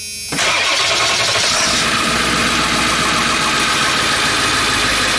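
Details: Ford E350 7.3L diesel van with an ECM fuse that kept blowing: short crank, catches at once and settles into a steady, even diesel idle with no stumble; clean, healthy start.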